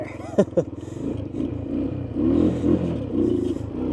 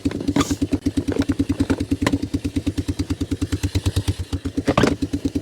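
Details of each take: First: Honda three-wheeler, missing its air filter and airbox lid, choke not hooked up, started with starting fluid: uneven, surging beat with revs wandering rather than holding; running rough. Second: Three-wheeler single with aftermarket Chinese carb leaking fuel from the bowl, run on old gas without choke: even, steady thumping about seven beats a second, no skips or clatter; idles cleanly, healthy.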